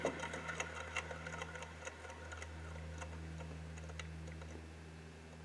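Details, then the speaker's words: C5 Corvette (1997–2004) with the belts off, idler pulley spun by hand: it free-wheels with a dry ticking rattle as it coasts down. The worn idler bearing is the likely source of the squealing. "you can hear if it's it's not supposed to be spinning like that just free willing so that's bad"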